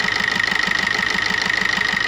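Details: Maruti new Swift diesel at steady idle, with white smoke when revved. A sharp, even knock comes about eight times a second under a thin whistle. Number one injector is faulty, its return flow about double the others.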